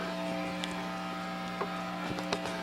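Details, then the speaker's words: Fender Bassbreaker 15 valve amp on the medium gain structure, idle in a quiet room with the ceiling fan off: a steady low hum with a few higher tones, constant; mains hum and noise. "It's just this amp hum. Sad. Okay, now from where I'm sitting, man, you can just hear it. It sounds terrible, that hum and noise."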